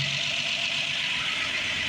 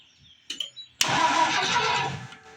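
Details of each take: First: Rebuilt Ford 215 inline-six, new spark plugs, first start with choke on, oil pressure up, some smoke expected; steady, even idle with smooth hum and no knocks or misses. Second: Rebuilt Ford 215 six-cylinder at first start with new spark plugs, after a reversed wire was fixed: weak cranking puffs, then a short roar that catches for about a second and fades; hard starting, ignition timing suspected off.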